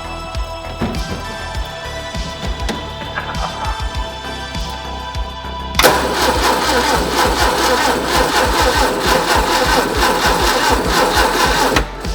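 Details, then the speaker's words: 1970s MGB sitting unused for years, points ignition: starter grinds with steady churning rhythm but the engine never catches; spark tester shows only a little spark, points burned up; weak ignition spark. "Got a little too spark, not a lot."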